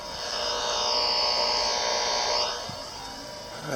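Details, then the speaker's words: Steady high electrical buzz from the inverter in an off-grid house, heard from outside over a quiet background, constant pitch; inverter buzz. "That's coming off of the inverter in the house."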